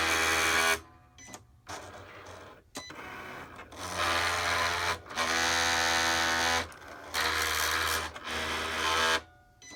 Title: Cricut grinding noise